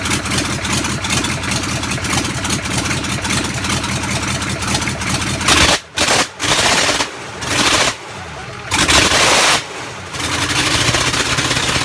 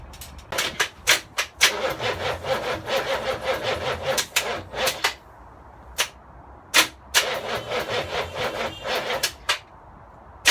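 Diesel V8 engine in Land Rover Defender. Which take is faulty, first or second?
second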